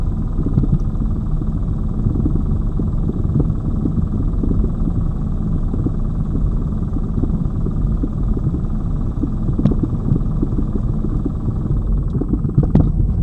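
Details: Lada Vesta Cross over bumps after shock absorber/strut replacement (right SAAZ shock under dealer warranty); recorder plus cabin phone; steady road rumble, light tyre thumps, no metallic strut knock; knocks gone after replacement.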